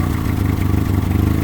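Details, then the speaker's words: Honda Civic EK with a replacement engine: lumpy, stumbling idle, running poorly. Fuel pressure is about 28–38 and unchanged with the regulator disconnected, and codes show misfires on cylinders 1–4 plus a coolant-temperature code, likely from an unwired fan connector. "All I was really getting was multiple cylinder misfires and a misfire on each cylinder, you know, 1 2 3 4."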